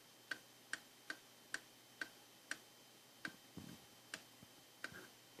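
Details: Intake manifold runner control (IMRC) valve tested after repair; crisp, even clicks about twice a second on a quiet background, clean regular actuation, the valve switching properly.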